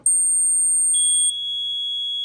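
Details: Mircom FA-1000 conventional fire alarm panel in trouble condition: continuous shrill piezo tone stepping down to a lower steady pitch; trouble buzzer sounding.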